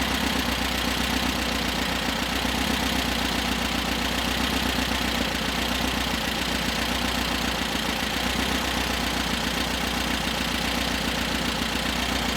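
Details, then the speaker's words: 1973 VW Super Beetle 1760 cc air-cooled engine with dual 40 carbs, hot restart after first fire-up, valves later found loose (number 3 exhaust super loose); busy rattly idle with fast light ticking three to four a second: loose valve lash. "I just decided because the way the engine was running to double check the valves. still hot or warm. But, uh, that clicking you heard, I'm going to go and adjust them"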